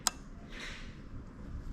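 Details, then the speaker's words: Bench test of a 1995-96 LS400 1UZ-FE harness converted for IS200 plug and play: a crank signal is sent and one crisp click follows in a quiet room, the fuel pump relay switching normally. "So what we're going to do now is send a crank signal using this device, and if we touch the cam, you should hear the click of the relay."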